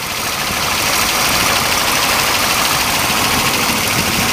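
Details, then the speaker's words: Chevrolet Camaro Z28 RS 302 V8 with about 40,000 miles at idle: steady idle with an even, hissy buzz from the air injection reactor pump; normal. "202 intake vales heavy duty breathing you hear that air injection reactor pump buzzing"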